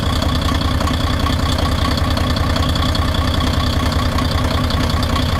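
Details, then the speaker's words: 6m70 diesel engine (title calls it low-power and still knocking): heavy idle at a steady rhythm of about 2.5 beats a second, with no sharp knock. Speakers say it is quiet with power and the knock is gone. Normal idle. "Tahimik to eh. May power nga oh. May power nga siya eh."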